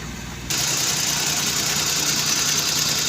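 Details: Suzuki Cultus carbureted petrol engine after replacing the CDI and a weak ignition coil, warmed three to four minutes: it settles into an even, steady idle with no hunting or stumble under a loud hiss, normal idle.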